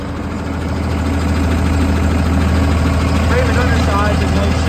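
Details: 2009 Peterbilt 335 Autocrane utility truck, engine replaced in 2017, showing a little over 2,000 hours (possibly the new engine's): steady deep diesel idle with an even beat, no knocks or misses, hydraulic air compressor quietly building pressure. Normal idle.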